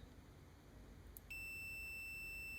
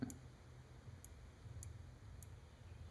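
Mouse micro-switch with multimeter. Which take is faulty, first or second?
second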